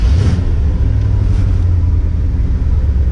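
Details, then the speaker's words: Cold engine after stuck valves were freed and bent pushrods straightened, still on fast idle with one more step to come down. Deep, even rumble slightly above normal idle, no misses or knocks; normal. "it's not warm enough yet to it's got one more step to come down"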